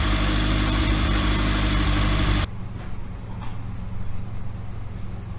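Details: Toyota 2ZZ-GE engine reinstalled in MR2 Spyder, first start after reinstall: settles into steady, even idle with smooth low hum, no misses or knocks; much better than previous rough attempt.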